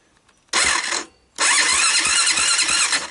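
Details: Honda ATV that stopped starting after use pushing cars: two bursts of quick, even cranking without firing; turns over but won't start, fuel suspected, and the carburetor barely takes gas.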